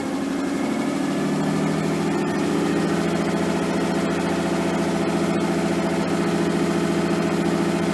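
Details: Nissan 240SX S13 with swapped RB20DET petrol engine, first start after over a year sitting: steady, smooth fast idle with an even beat and no knocks. Idle is way too high with AFR unset; possibly burning a little oil.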